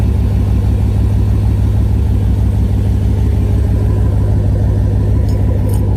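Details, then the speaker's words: Idle after fixing a rattle traced to vibrating modules rather than the exhaust. A strong, even low rumble with no tinny rattle; the engine settles smoothly. "no rattle hear it no rattle oh it makes me so happy like just sit in idle without my thing without my damn car sound like she still sounds phenomenal"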